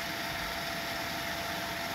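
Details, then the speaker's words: Homemade water turbine, 12V DC system with Midnite Classic controller, jets fed through new elbows instead of hoses: only a soft steady rush of water, no knocking, rubbing or whine; running very quietly. "it looks a lot cleaner without all their hoses so we just have those and it's also really quiet you hear that super quiet"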